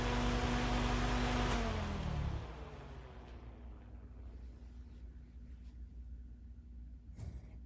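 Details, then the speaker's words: New Accuflo AF 51201 metal muffin fan, 120VAC 29W single-speed shaded-pole motor, factory oil in the sleeve bearings: low hum and whoosh wind down smoothly after switch-off with no rubbing or ticking; bearings silent and healthy. "Yeah, that's pretty good. And the bearings are silent too."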